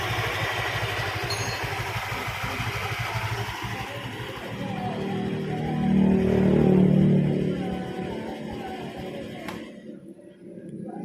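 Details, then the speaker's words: Honda Vario 125 scooter on centre stand, owner reports rattling/creaking at 70-80 km/h and uphill, engine otherwise smooth and smokeless: even, steady idle pulse with no knocks or rattles under background music; idle normal. "for the condition of the engine sound when it's idling like this, the rotation is very smooth, like a normal motorbike, no problems whatsoever, Bro."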